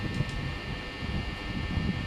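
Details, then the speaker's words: Panasonic fan running with a steady low drone and faint buzz coming from the top of the housing, where loose housing panels vibrate. "Bunyi dia datang pada sini eh pada atas ni."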